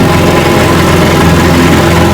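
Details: Rebuilt 1959 Evinrude 18 hp fast twin two-stroke outboard, warm after 15+ minutes of running, with the cooling problem fixed. Even, steady buzzing idle with no misses or knocks. Normal idle.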